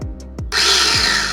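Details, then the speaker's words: SX-685 chopper after replacing dinamo that sparked at carbon brushes and stator coil with burnt smell, new motor's dual switches modified: a couple of thumps, then steady high-pitched whirr, running fine. "Oke, ya. Nah, ini yang satu. yang dua. Alhamdulillah sudah berhasil, Teman-teman."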